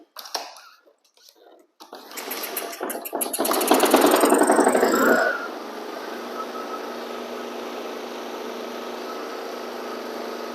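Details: Flood-submerged Honda HRX lawn mower after cleaning and a shot of carburetor cleaner, blades removed: after a few rope pulls it catches, revs up, then drops back to a quieter, steady, even idle; running normally.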